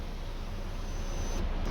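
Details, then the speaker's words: 2014 Ford Explorer after sunroof/moonroof motor replacement, ignition on, tilt button held to initialize the new motor: faint steady high electric whine for over a second, then stops; normal initialization cycle. "now hold it i push the tilt and now i'm holding it and oh there it goes it's initializing"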